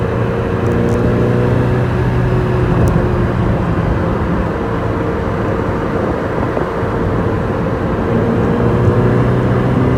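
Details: Overhauled Ferrari 308 V8 engine running: steady, even note with a firm low drone and no ticks or knocks; the freshly rebuilt engine sounds healthy.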